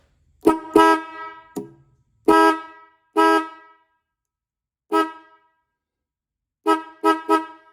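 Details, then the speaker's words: Restored 1960s Ford Mustang high and low horns, de-rusted, points sanded and contacts adjusted, both wired together: several clear, steady two-tone blasts starting and stopping cleanly; horns sound healthy after repair. "Can't beat that. Pretty good, huh? That was fairly easy, you know. I just dipped it, cleaned it, made a few adjustments, sanded the points."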